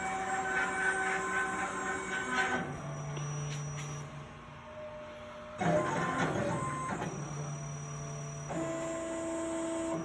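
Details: Plasma table with replacement OpenBuilds BlackBox controller, running a cut job: smooth stepper drive tones shifting pitch as each axis moves, no stutter or skipping; this stretch runs cleanly before jitter recurs.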